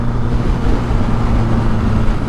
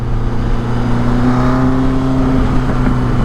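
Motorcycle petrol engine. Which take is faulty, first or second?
second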